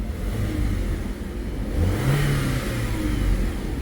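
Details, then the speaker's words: 2007 VW Passat wagon with the 2.0T petrol engine, after sitting a while, briefly rattled its timing chain at start-up. Here it revs up and settles smoothly with no knocks or rattles, running normally. "I mean this thing just runs good sweet little car man it's got the 2.0 T which is a love it or hated engine"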